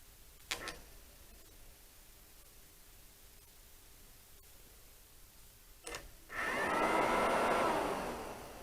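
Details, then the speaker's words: Honda CB-1 (NC27) radiator cooling fan tested in situ after repair and refitting, ignition on, triggered by touching the radiator contact; click then steady even whoosh, no scraping: normal cooling fan operation, connections good. "that comes on as you can hear and again touch the radiator comes on so i know all the connections are now good"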